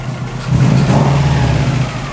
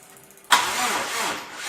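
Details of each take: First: Subaru, engine rebuilt on a spare EJ207 block, started for the first time; oil pressure light off and coolant temp gauge working. Crisp rev blips with a steady idle between: normal revving, a big improvement. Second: Subaru with freshly rebuilt EJ207-block engine, cranked with crank sensor off to build oil pressure: starter drags the engine over sluggishly and laboriously because the battery is at the end of its life, needing jump packs.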